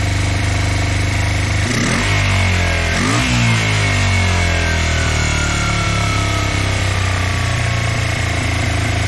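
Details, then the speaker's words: Honda CB125 twin with new cylinder barrel, reground valves and reworked carburetors, just restarted: two throttle blips then a lumpy, sluggish idle; one cylinder running hot and the other not, carbs suspected unbalanced. "Funny, I still have that problem where it seems slow. I think it sounds better."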